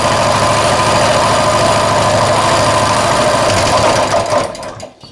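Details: Colman 196cc single-cylinder mini bike returned with a locked-up motor, first run after repair on choke; steady even putter at idle with no rod knock heard; sounds healthy.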